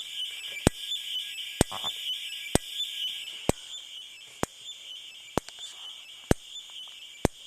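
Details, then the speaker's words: Simplex 4903-9238 fire alarm horn/strobe, 110 candela, 1999 date code: sharp regular ticks about once a second over a steady high whine, strobe chirping like a video game instead of a steady hum; capacitor noise, owner doubts it is normal. "noise yes I know it's the capacitor however I don't think it's supposed to sound like that I think it's supposed to more have like a constant beep or something like that a little hum rather than just what's going on here sounds like a video game"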